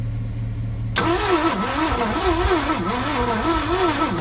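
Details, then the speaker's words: 1967 Ford Thunderbird 428 V8, sitting for 30 years, after a new coil and timing adjustment: starter cranks with a wavering, uneven rhythm, one cylinder briefly firing but never catching; starter suspected weak, no fuel smell. "Didn't like that. See, I think your starter is getting low again. I thought you might have something there for a minute, but it was spinning a little faster. We were getting one cylinder to fire."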